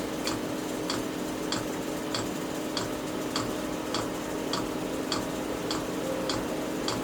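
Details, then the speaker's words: Chinese diesel heater during start-up: crisp, evenly spaced clicks, about a hundred a minute, over a soft fan hum, the fuel dosing pump metering fuel normally with no error codes; normal fuel pump clicking. "still no airor codes and you can hear the clicking that's the fuel"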